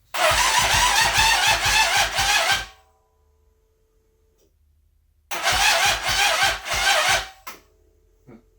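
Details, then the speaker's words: Yamaha Raptor 700 with new ECU, fresh gas, new spark plug and fresh oil, side cover recently reassembled: two bursts of lazy, even chugging at about four turns a second, no catch; slow cranking, owner suspects a part misinstalled under the side cover. "as you can see it is still chugging slow so the oil had nothing to do with that"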